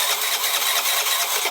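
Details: 2007 Piaggio MP3 scooter, stopped starting after drop-off, split fuel hose taped, fuel pump working but carb not yet filled: thin high-pitched starter whir spins steadily with no firing; cranks but won't start, fuel not reaching carb suspected.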